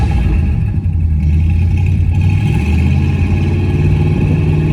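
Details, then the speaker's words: 1965 Cadillac Coupe DeVille V8, first run in 4 months after an engine rebuild, timing set at 8° advance, no exhaust fitted. Loud open-pipe idle with uneven stutters; owner suspects carburetor adjustment is needed. "We got a bit of a stumble. I think that's in carburetor adjustment. I need to go in and tune it since I no longer have an exhaust on it at the moment."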